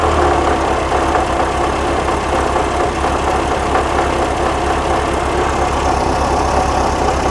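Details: 1979 fuel-injected VW Super Beetle, air-cooled, warm idle after startup, smoky: steady idle with a low, slightly uneven beat and faint hiss; vacuum leak suspected, unconfirmed; rough idle.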